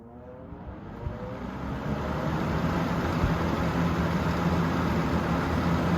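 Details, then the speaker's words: 3-speed fan on high, motor previously repaired after falling apart and still running great; spins up over a few seconds to steady low hum with rushing airflow, motor hum very loud, which owner attributes to its many hours of use. "And this one's got a real loud motor hum because it's got so many hours on it. So let's go ahead and turn it on high."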